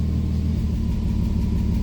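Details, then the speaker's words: 2001 Mitsubishi Eclipse at idle with injector 4 disabled after cylinder 4 misfire code and new oxygen sensors: lumpy, uneven putter instead of smooth beat, returning to normal after the test. "And definitely, you could probably hear it puttering around, and now it's back to normal since I got out of that test."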